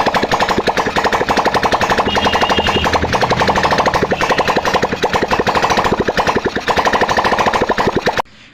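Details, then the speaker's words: 2018 Hero Glamour bike, digital meter faulty, after fixing a severe starting problem by fitting a replacement carburetor: single-cylinder engine thumps at a quick, even idle with no stumbling or misfire, then shuts off; normal idle. "Starting problem दूर हो चुकी है"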